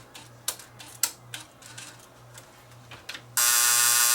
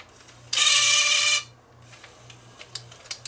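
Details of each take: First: Fostex D10 DAT deck showing Error 02: loading motor whirs about three seconds then quits amid scattered clicks; tape loading cycle not completing, cam gear under inspection. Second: Fostex D10 studio DAT master recorder showing Error 02, during repair after the loading mechanism was checked by turning the loading pulley: brief whirring motor run, then light clicks and ticks as the transport threads; the loading cycle sounds normal and complete.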